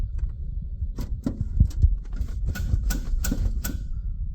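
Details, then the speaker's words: 1928 Ford Model A roadster race car with 4-port overhead valve head conversion, ice cold, choke pulled, fuel pump switch on: rapid dry electric pump ticking slows and settles as fuel pressure builds; normal fuel pump priming. "There's a fuel pump switch. Oh, yeah. So, you can hear that. There we go. So, now that we're getting fuel pressure, you actually can hear the change."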